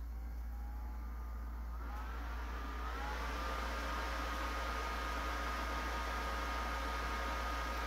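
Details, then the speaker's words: Older shop-stored Pentium 4 PC at power-on, CPU heading for 3.2 GHz and into turbo mode: steady fan hiss climbs in pitch then settles into a louder even tone; normal fan ramp-up under load. "went into turbo mode all right let's shut it down that fan is getting awful loud"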